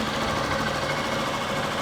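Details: 2011 Honda Bros 150 motorcycle after shop repair of a customer-reported strange engine noise, test run: steady, even buzzing single-cylinder idle, no knocks, ticks or rattles. Normal idle.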